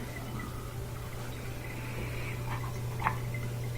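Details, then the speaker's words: Dishwasher (Bosch-style) running its cycle drain function at the sink air gap: low steady hum under faint gurgles and drips of water backing up, because the tube down to the disposer is clogged, commonly by something like a fish bone. "Looks like the tube going down to the disposer is clogged also, because you got this backing"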